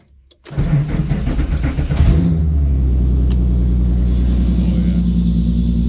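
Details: VW Mk1 Rabbit track car with 3.6 VR6 swap, sat all summer, cold start in neutral: short crank catches fast, flares, settles to deep steady idle; clean, healthy cold start.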